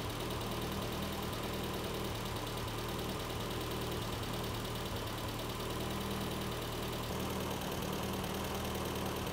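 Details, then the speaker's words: Turbocharged A-Series engine in a Classic Mini, first start after build, at operating temperature: even, continuous engine note with a light regular tappet tick (microphone exaggerates tappets), no knock or misfire; normal smooth running. "all right we have it up to operating temperature and it is running really really nicely um the microphone does usually make this sound a little Tapper than you would normally expect but don't worry it is really nice in person"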